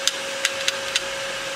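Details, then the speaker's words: Hard drive in an old HP ProLiant server PC, after spin-up at power-on: four light irregular head-seek ticks over a steady spindle hum during its quick startup disk check; healthy drive. "Right, so I see that the disk now spins up to speed, and it goes into its it starts doing a quick disk check."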